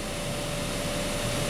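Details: 2012 Honda Accord Special Edition blower motor at full speed, key on, drawing about 15.5 A: steady, even rush of air with a faint constant hum, no ticking or rubbing. Normal blower operation.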